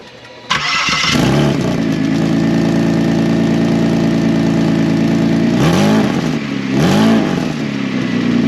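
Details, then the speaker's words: Saturn VUE with a rusted-out exhaust flex pipe: the engine cranks, catches and idles loud and raspy, and two quick revs bark harshly. It is no quieter after a rough temporary weld over the hole; the exhaust is still leaking at the flex pipe. "gonna say no this is probably not any quieter but at least it was fun to try"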